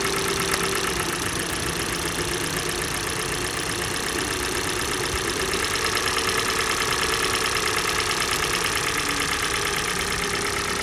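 Cold idle with a sharp, fairly regular knock, roughly three per second, riding over the engine note; a clear knock, cause unknown.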